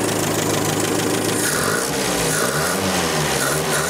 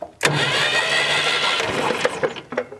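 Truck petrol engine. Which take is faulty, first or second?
second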